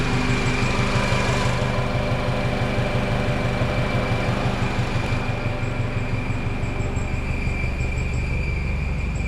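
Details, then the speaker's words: Honda CR-V after an ignition coil replacement with O2 sensor codes cleared, aftermarket catalytic converters fitted: a steady high whistle-like tone sits over an even idle, new since before the work; it seems to come from underneath, cause unknown. "at first the noise was kind of alarming uh I wasn't sure why it's doing that because it didn't do that previously"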